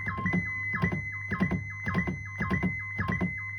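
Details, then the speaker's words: 1970s Maplin/ETI 4600 synth under restoration, keyboard into oscillator one: in the top octave, quick notes glide up slowly and land slightly flat when keys aren't held long enough. "so in the top the top uh octave it does actually uh take a little bit of time to Glide up and a couple times when I played it fast uh you're not holding down the key long enough for it to actually reach the"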